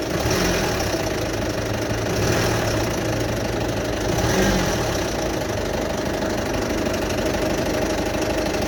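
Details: 2008 Citroen Berlingo 1.6 HDi diesel, after full service, timing belt, water pump, new turbo, EGR valve and fuel sensor: uneven noisy idle with loose irregular knocking clatter and slight surging, no engine faults displayed, started August 2021; cause unknown.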